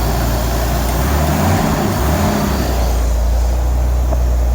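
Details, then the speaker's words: Nissan 300ZX Z32 VG30DETT, after repairing a lifter problem and correcting a misassembled timing part that had stopped it starting: deep, even idle, all six cylinders firing cleanly, lambda about 14.6–14.9. "Donc là, elle tourne sur tous ces cylindres, c'est nickel."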